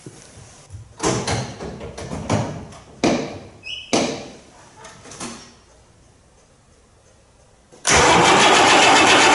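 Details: 1990 John Deere 3350 tractor diesel, long-standing, first start after valve failure repair, cranked with fuel stop pulled first: short cranking bursts, then catches into a strong even diesel clatter; clean start.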